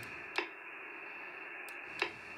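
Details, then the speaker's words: Xiegu X6100 heard on another receiver while keying and unkeying: two sharp clicks about 1.6 s apart over steady hiss. Reported by multiple users, on any band and at any distance; the owner suspects a firmware unkey timing fault. "so what happens is when the transmission from the 6100 is done transmitting you could actually hear the microphone on key"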